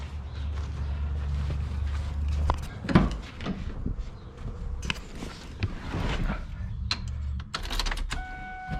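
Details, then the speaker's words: Wrecked 2004 Mustang Mach 1 with 60,000 miles, new fuel pump fed from a 5-gallon jug, key cycled several times to build pressure: low steady hum about two seconds then stops amid cabin clicks; normal fuel pump priming. "cycle it few times [Music] to get a few pressure"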